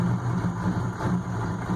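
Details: 1993 GMC 3500 6.5L turbo diesel with a mechanical pump, cold: a low idle that surges and sags unevenly, needs throttle to stay running and smokes heavily white; still rough when warm. Cause unknown.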